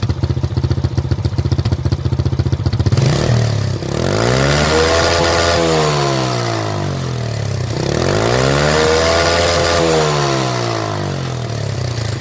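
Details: Motorcycle that backfired at the exhaust from an over-rich mixture, after blocking the exhaust air-injection part: even idle thumping then two smooth revs with no pops or bangs; backfire gone, temporary fix, carburettor replacement the permanent one.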